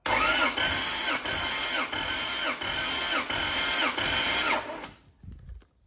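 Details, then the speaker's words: 1.5JZ-swapped Toyota Corolla drift car during compression test, 155 psi on this cylinder, with a broken ring suspected on cylinder 2 and the rear cylinders suspected weak: starter cranks at a steady, slightly uneven beat for about five seconds; low compression. "all right better than I was thinking 155 this engine's just dragging me on leading me astray thinking I'm going to not have to rebuild this but I know those two back cylinders they're going to be hurting me"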